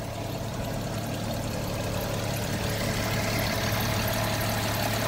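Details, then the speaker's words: 2008 BMW 335xi at idle during pre-purchase inspection: steady idle with faint rapid chatter and whirr over engine hum, a bit of pulley noise from the front plus some engine noise; cause unknown. "You can hear a bit of pulley noises in the front and a bit of engine noise that you can hear as well."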